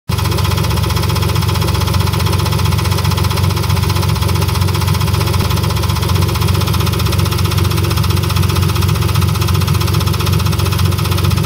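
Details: BMW S52 engine swapped into an E30, steady idle with a quick regular tick or light knock of unknown source; lifters replaced without change, noise persists with each spark plug disconnected, so owner guesses not a rod.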